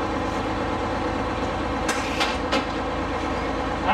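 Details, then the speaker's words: 1989 Crown Super Coach school bus, Detroit Diesel two-stroke 71-series six: loud lumpy idle running on five of six cylinders with smoke; injector suspected on dead cylinder, possibly bent valve, injector swap planned. "it's only running on five cylinders right now. It only has six and it's only running on five. And that's the smoke it's getting."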